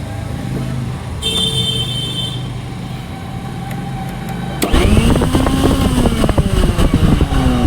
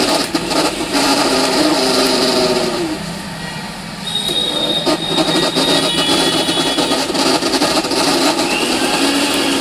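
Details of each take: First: Philips mixer grinder after repair; it had been making a lot of noise inside before. The motor spins up to a steady, even high whine with no rattle or grinding. Normal running after the fix. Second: Philips 16+16 mixer grinder, run before opening. Loud, harsh, rough whirring with a rattly edge throughout, far noisier than normal. Excessive noise inside, cause not yet found.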